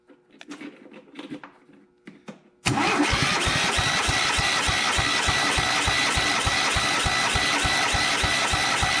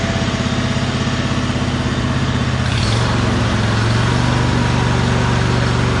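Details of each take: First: John Deere G100 mower after straightening a bent push rod and reassembling: compression check while cranking at about three even, strong chuffs a second with no weak beat. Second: John Deere G100 garden tractor with 54-inch deck, after rocker arm and push rod repair: small engine holds a steady, even idle with a regular low putter and no misses or knocks; it previously ran poorly and now idles normally.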